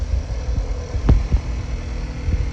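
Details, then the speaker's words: 2019 VW Jetta 1.4T after APR coil pack install: low steady idle with soft thumps and no misses or stumbles. Runs fine with no idling issues, showing the typical VW tap; normal idle. "running fine no idling issues or any anything of that nature once it idles down you'll hear the uh the great tap that all these volkswagens are doing now"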